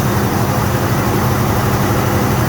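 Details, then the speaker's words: 1974 Pontiac Ventura V8 with big cam, long-tube headers and rebuilt Edelbrock carb, idling on full choke after backfiring through the carb (suspected lean). Steady, even rumble with no misses; running normally, carb calibration uncertain. "It took a little bit, but fired up. Not sure if the carburetor is calibrated 100% for this motor."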